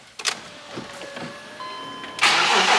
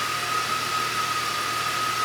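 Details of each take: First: 2006 BMW X5 6-speed manual, 270k miles, idle air control valve found stuck; starter catches, engine stumbles and nearly dies, then settles into shaky idle; rough start with near stall, then idles okay; cause suspected, not confirmed. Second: 2006 BMW X5 6-speed manual, 270k miles, with a stuck idle air control valve; after a rough start it settles into an even, steady idle with a faint whine. Owner suspects a bad mass airflow sensor. Normal idle.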